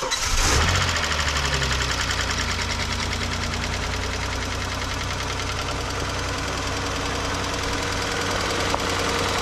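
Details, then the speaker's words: 2005 Saturn L300 twin-cam 24-valve V6 at a salvage auction: a quick start catch, then a steady, even idle with no loud ticking or knocking. Running smooth. "oh it's running smooth"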